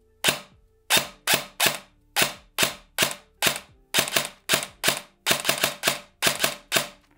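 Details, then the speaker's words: ICS DD MK18 airsoft S-AEG with 3rd-gen EFCS MOSFET, precocking on: very loud, sharp piston slaps in single shots and short bursts, gear screech not audible; cycle fine. "Und da würde ich sagen, das ist in Ordnung. Vom Klang, ja natürlich, das Ding ist saumäßig laut, aber die Gears nehmt ihr, oder das Kreischen der Gears nehmt ihr mit Precocking nicht wahr."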